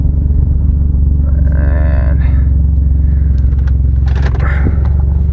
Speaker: we got an exhaust leak bad exhaust leak